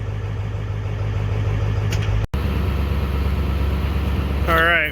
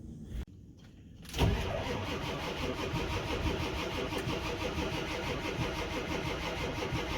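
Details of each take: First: Ford 7.3 Powerstroke diesel after fuel heater and cracked fuel cap leak repair, started on block warmer with inoperative glow plugs: steady low diesel clatter at idle with one brief dropout; running normally again, needs glow plugs. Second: Ford 7.3 Powerstroke diesel below 30°F, cold, on three jump packs after fuel heater and cracked-cap fuel leak repairs: labored, sluggish cranking that never fires; batteries too weak to spin it fast enough, to be charged before retrying.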